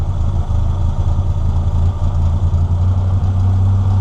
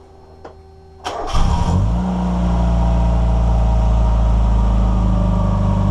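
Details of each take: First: NA Mazda Miata, cheap Chinese aftermarket air flowmeter: low engine idle with a deep, even thrum that sags as the AFM idle screw is turned; idle speed too low from a mis-set idle screw, later turned back up to fix. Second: NA Mazda Miata right after adjusting the airflow meter: the engine catches after a brief crank, flares, then settles into a steady, even idle. It idles okay.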